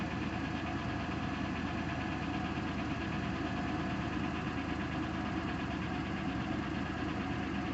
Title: 2000 Buick Century lifter tick